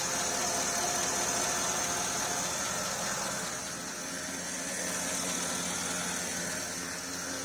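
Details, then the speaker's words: Porsche Cayenne S after the leaking steering rack was replaced with a second-hand one and the air bled from the system: the engine idles evenly with a steady hiss, and turning the steering wheel gives no pump whine and no leaks. "okay just started up now cars running now i can turn the steering wheel no noise there's no leak from the actual pipes"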